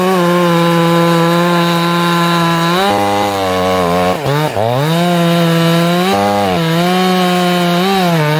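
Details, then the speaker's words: Ported chainsaw at top rpm during carb tuning: high wavering snarl that burbles when pulled out of the cut, cleaning up under load; four-stroking from rich high-speed carburettor setting. "you can hear it snarl that's a four stroke now you want it to four stroke until you get good load on it and clean up in the wood then pull it up listen for it to four stroke again"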